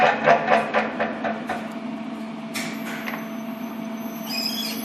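Steady low hum with a thin whining tone and some knocking early on from the lift drive; cause not clear.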